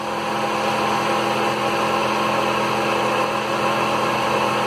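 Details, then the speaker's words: 2000s-era Mitsubishi after cooling fan controller replacement (old one kept fans running whenever ignition was on): engine started, AC on, both radiator fans spin up with a strong steady rush of air and even hum, no rattle; normal fan operation, fixed. "start her up go ac on there we go you can hear those fans turning big time"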